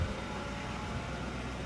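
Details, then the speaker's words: 2004 Ford Crown Victoria ex-sheriff's car, V8 idling with the AC compressor kicking in: steady, even low hum with no misses, ticks or knocks, only a soft background whir; sounds healthy, as the mechanic said. "It sounds good. It sounds really good. So I guess the mechanic guy was telling us true."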